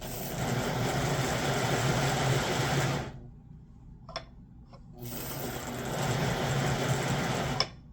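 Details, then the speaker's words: 1958 (owner thinks) Lionel 2383 Santa Fe F3AA locomotive before truck regreasing, E-unit lever slow to drop: buzzy whirring motor runs in strained bursts, stops and restarts. Stiff motor from old nasty grease in the trucks, later replaced with white lithium grease and oil. "So I'm trying to fix the stiff motor issue, and I took apart the trucks, and yeah, these were full of a whole bunch of really nasty stuff."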